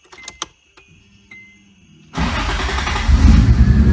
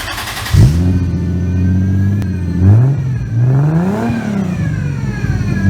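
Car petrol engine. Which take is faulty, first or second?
first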